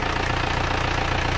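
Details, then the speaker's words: Engine after a rebuild, just started: soft, even idle with a steady low pulse and no knocks or rattles, sounding smooth like a new engine; normal idle. "mesin sudah hidup suaranya empuk halus seperti mesin baru"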